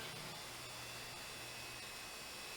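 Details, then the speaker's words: Western Digital IDE hard drive, identical to another dead unit, fails to spin up, giving a faint thin high whine over hiss with soft ticks about twice a second; motor suspected dead or dying, cause not confirmed. "like a dead or dying motor it's making the worst sound i have ever heard from a hard drive"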